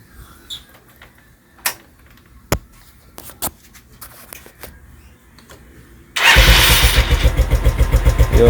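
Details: SP 110cc scooter after carburetor and its box were cleaned to cure hard morning/cold starting: quiet clicks, then one press and the small engine catches instantly into a quick, even putter; normal start.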